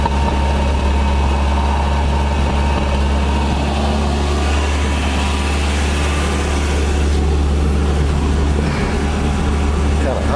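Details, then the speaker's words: 1982 Nissan 720 King Cab four-cylinder, sat many years with a carburetor issue (floats stuck), electric choke on: loud, steady low-rumble idle, even with no miss or hunting. Normal idle. "man this thing is idling gas hand don't work but that's amazing"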